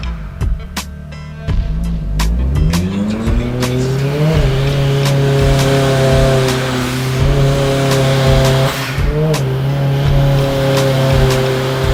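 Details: Turbocharged Honda S2000 on the dyno under load and boost after checking plug gap and fitting higher heat range spark plugs: revs climb smoothly to a steady high drone with no stumbling or popping, misfire cured.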